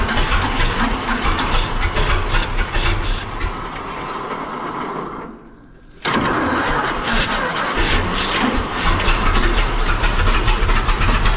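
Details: 1926 Seagrave city service ladder truck, 1013 cu in "F" six-cylinder, just started after 10+ years sitting, no work done beyond battery and gas to carburetor; cranks, catches, runs with uneven stumbling beat and brief drop-out, missing on one or two cylinders.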